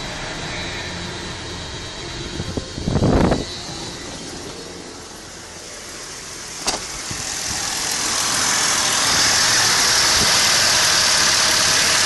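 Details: 1988 Dodge Dakota 3.9L V6 TBI after throttle kicker (IAC) rebuild, actuator extended far and vacuum lines open: brief crank and catch, then loud, fast, steady idle that stays high; high idle from overextended idle air control.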